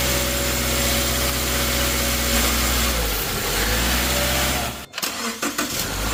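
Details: 2012–2018 Subaru Forester/Legacy/Outback 2.5L non-turbo after replacing the accessory belt, idler and tensioner: steady low idle with a smooth hum and no squeal or chirp from the belt drive.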